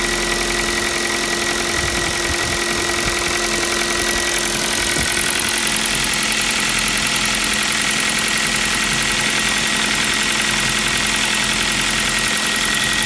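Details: New Kia Rio 4 with 1.6 engine at even idle: light, regular tapping about three to four per second under the engine note; piston slap, the same sound the Kia Rio 3 had.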